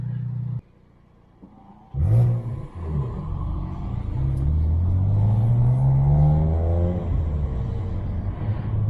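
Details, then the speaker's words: BMW 335i N54 twin-turbo after the 30FF no-boost fault was fixed by cutting out a bad vacuum hose and testing the wastegate: smooth, steady pull to about 15 psi of boost with no flutter or hiss; sounds healthy. "it went up to like 15 foot PBS of boost sounds healthy and he wants to move man super satisfied"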